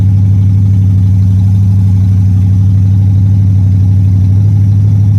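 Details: Old Pontiac Strato Chief with a new home-built exhaust and the original straight-six radiator: deep, even note at a lively idle with no knocks or misses, running better than last time, though it previously overheated.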